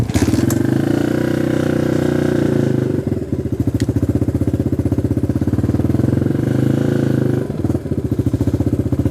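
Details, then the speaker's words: XR150 clone single-cylinder bike idling on choke: an uneven, lumpy beat that sags twice as if about to die. It dies when the choke is released or gas is given; a carburetor problem. "It starts, but classic carburetor problem. As soon as you let go of the choke or give it gas, it dies. So it's definitely an issue with the carburetor."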